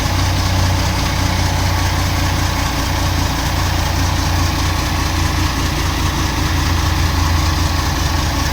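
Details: CAMC CM6D28 430 hp truck diesel, rebuilt with new rocker arms and parts after valve and piston damage from overuse of the exhaust brake: deep, steady rumble with an even low beat and no knocking or clatter, idling smoothly.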